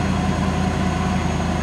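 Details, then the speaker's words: Ford modular V8 van, after head gasket sealant treatment, cold start next day: deep, even idle with steady beat and no skipped pulses, no misfire, no oil smoke, only brief normal startup condensation from exhaust. "but it's not lingering i think this is what you would call normal startup condensation because of the temperature differential you can see though it only goes to right here and then ends and it's already starting to fade out a little bit does not sound like we have a misfire at all"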